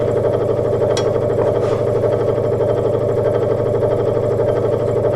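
Steady low hum with a soft, even pulse and no rattle or knock; the scroll saw is running smoothly at low speed.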